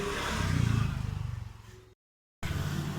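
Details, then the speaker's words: Honda Vario 125 new LED scooter, rear CVT pulley bearing (size 6902) before replacement, heard when rear wheel is pushed or spun: very rough growling grind with fast uneven pulsing; worn rear pulley bearing in the CVT. "Coba didengarkan sekali lagi tentang sebelum penggantian bearing puli 69002 ini bisa didengar amat kasar ataupun ngorok"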